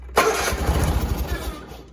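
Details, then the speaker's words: John Deere 317 garden tractor, slightly cold, unchoked and unthrottled, after fixing a wire pinched by the firewall: fast, even cranking for about two seconds that never catches; hard starting. "Hold on, it seems to be hard to start for whatever reason. Okay, what's your problem now? It's camera shy."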